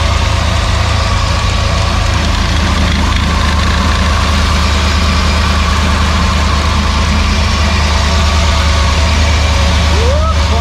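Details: Freshly rebuilt Maliboom engine at first fire, oil pressure up, running through mufflers: deep steady idle with an even lope of about three pulses a second, no knocks or ticks; the engine is running healthy.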